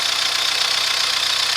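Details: Cold Chevrolet Astra at idle with a steady fast ticking knock; cause unknown, mechanics variously suspect lifters, piston slap, rod bearings, camshaft, water pump or other pump.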